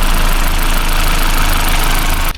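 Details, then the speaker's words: Toyota Celica 2ZZ-GE petrol engine idling with the serpentine drive belt removed: steady even drone, no tapping or chain-like rattle, then shut off; noise gone, so belt tensioner judged faulty. "So I remove the belt. And now that sound seems to have gone. Yeah, now the noise is gone."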